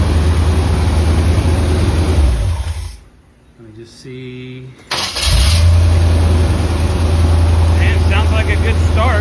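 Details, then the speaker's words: 1976 Corvette V8 after replacing an overheating distributor that caused stalling: shuts off, cranks briefly, catches at once and settles into a steady even idle; starts fine, no lagging. "But uh so far feeling good. No real lagging or anything."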